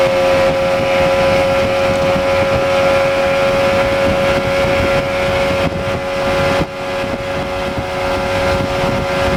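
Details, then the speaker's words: Outboard at speed under load on test run after blown-motor repair, new unstamped prop (old 3-blade 17 pitch did 44 mph); steady high-revving even pitch with wind and water rush; running clean, no issues. "so we just got back from the test run the boat runs excellent no issues motor runs super could it be more happier"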